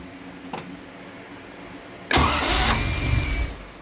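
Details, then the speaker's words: 1974 TR6 during rebuild, first start attempt with vacuum lines plugged: a click, a pause, then about a second of cranking with ragged catching before it dies. Rough first firing on cranking; timing adjusted afterwards, oil pressure good. "all right she's getting the least she's firing a bit probably has a go play around with this a bit"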